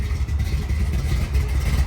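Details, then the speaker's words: Big-block V8; deep, strong low rumble rising and falling with throttle, smooth even firing; normal rev. "That beautiful sound right there is a big block."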